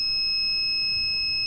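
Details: Livpure RO water purifier: a steady, shrill electronic beep through the clip with nothing else running; a purifier alarm.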